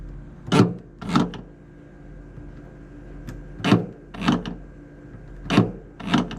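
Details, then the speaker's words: 2009 Nissan Versa rear hatch latch tested by bypassing the release button, grounding its two wires with an alligator clip: three sharp double clunks as the latch operates, so wiring and latch are good and the button switch is faulty. "you can hear the latch operating. So that tells me that we're good on our wiring, our latch works."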